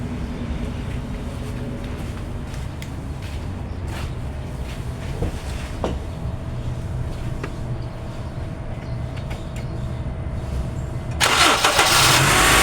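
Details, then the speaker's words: Honda CR-V during a daily check, engine started with air conditioning on, two radiator fans: steady idle with faint even hum, then a loud whoosh near the end as the fans kick on; normal idle with fans running. "เเป็นไงคัดลมทำงานนะครับผมก็ตรงนี้ก็สำคัญนะ"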